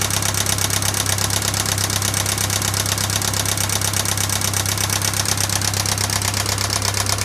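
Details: 1996 Pontiac Sunfire 2.4L at idle: fast, even ticking just under three a second, keeping time with the engine; persists after head and valves restored and lifters replaced, source not found.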